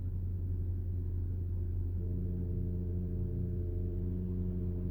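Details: Porsche PDCC roll-control hydraulics (Cayenne, Panamera, 911), radial-piston tandem pump: low steady hum with faint constant-pitch whine from pump vibration; normal, nothing broken, inherent to the pump.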